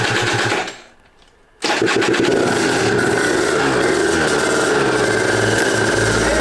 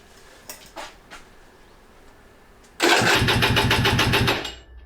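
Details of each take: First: Aprilia RS 125 two-stroke barn find, first run in about five years, on 1:40 premix, after fixing carburetor fuel leaks; brief silence, then it catches and settles into a steady even buzzing run, no longer leaking; normal running. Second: Aprilia RS 125 two-stroke, first start attempt after 4 years in a barn, 1:40 premix, garage at 34 °C: brisk, even cranking at about three to four pulses a second that never catches; no start because the fuel valve was closed.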